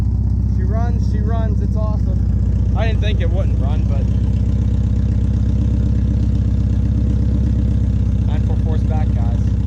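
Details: Porsche 944 cold start idle after battery retightened and about three weeks sitting: steady even low rumble, no knocks, misses or rattles; normal.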